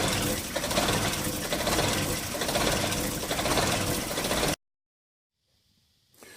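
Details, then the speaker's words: Holden Rodeo 2.6 idling rough with an uneven rump-rump stumble about four times a second. The owner suspects the mass airflow sensor; the cause is not confirmed. "You can probably hear it a little bit, the stumbling engine. Sort of a rump, rump, rump."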